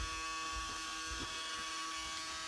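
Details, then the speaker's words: Rising swamp hag Halloween animatronic, on its adapter: steady high-pitched electric buzz, motor straining under load without turning or moving. "So you'll hear the motor trying to go. See? Maybe if I do this, I'll stop. Nope."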